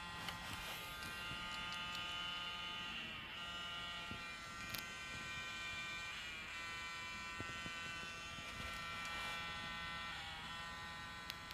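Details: Zeiss Batis 18mm f2.8 lens making a steady high-pitched electric buzz with vibration from its autofocus motor; same malfunction on Sony a7R II and a6000.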